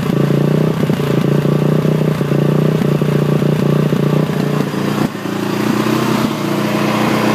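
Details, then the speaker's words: 2008 Honda TRX450ER single-cylinder ATV: uneven stumbling idle with loose metallic clatter; starts cold but idles high even with choke off, makes a loud noise and dies on restart; owner suspects something slipping at start. "That's a rough shot. No, it's rough everything."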